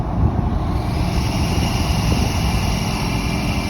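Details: 2022 GMC Sierra 2500HD L5P diesel, 38k miles, deep roar with a faint steady high squeal setting in after a second when the exhaust brake is used; source unidentified.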